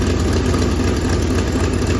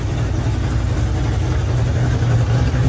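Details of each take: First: 1965 Mustang V8 after starter install: steady idle with a sharp, rapid puffing tick in time with firing; passenger-side manifold exhaust leak from a damaged stud and nut. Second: 1965 Ford Mustang at idle after replacing a damaged passenger-side exhaust manifold stud: deep, steady burble, smooth and even with no ticking or puffing; exhaust leak fixed.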